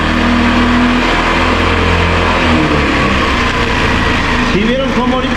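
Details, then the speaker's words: Italika TRN-150 single-cylinder motorcycle, which had stopped starting with no spark, now running after a carburetor change; runs steady and even and pulls smoothly on throttle without stumbling, clean healthy running. "Como ustedes pueden ver, ya la moto ya está andando y jalando y la neta se oye muy parejita."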